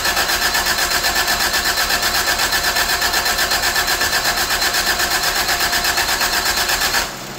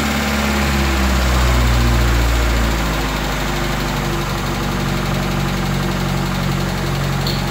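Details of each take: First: 1985 Toyota Tercel after a carburetor swap, with the distributor vacuum lines not yet connected: steady cranking at about four beats a second that never catches, then cuts off, with the choke side wet. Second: 1985 Toyota Tercel engine after carburetor swap and timing work, choke shut off after flooding: catches and settles into steady, even low beat after brief faster run; smooth firing, timing sounds right.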